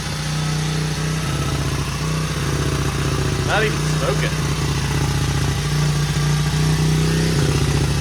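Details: 1977 Honda XL75 single, first start without a carb clean, choke on, throttle bunged up: steady idle thump with a quick blip that picks up cleanly and settles; runs pretty good, float bowl seeping, bowl gasket suspected.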